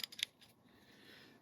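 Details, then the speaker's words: Antique Plomb ratchet, about 1945–1948, after refurbishment: three crisp, light pawl clicks in quick succession, then quiet; clean, even action with no grinding or slipping. Surprisingly fine ratchet, needs only a little more grease. "I am so surprised at how how well this ratchet is doing that's uh that this this is a fine ratchet"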